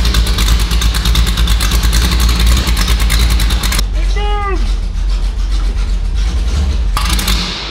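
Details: 340 Duster V8 started after sitting 22 years: loud, lumpy beat with an uneven, chugging rhythm like a tractor; running rough after long storage, cause unknown.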